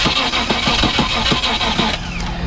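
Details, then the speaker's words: 1999 Land Rover Discovery 2 that sat in a yard for years, cranked via an added wire straight to the starter with ignition on: steady rhythmic cranking about four turns a second for two seconds, never firing; crank no start, cause not yet found. "Cranks but doesn't start."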